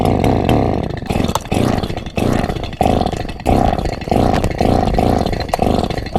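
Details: Borrowed chainsaw, not run in years, repeatedly failing to start: engine catches in short rough bursts about once a second, sputtering and dying each time, never settling into a steady run.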